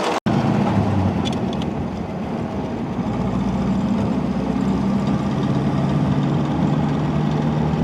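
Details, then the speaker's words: 1936 Buick Special Series 40, 233 cu in 93 hp straight-eight, 3-speed manual, driving: steady, even engine drone under road and wind noise, no knocks or stumbles; slight clicking louder under hard throttle; runs smooth. "think it runs pretty smooth yeah I'm not complaining"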